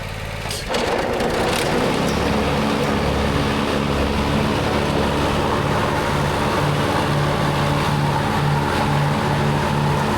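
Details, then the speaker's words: Lawnmower after clearing dirt from under the deck: after brief start-up clatter, a steady even hum at constant speed; runs good. "So we're gonna get ready to take this lawnmower outside, fire it up, run it. Everything runs good."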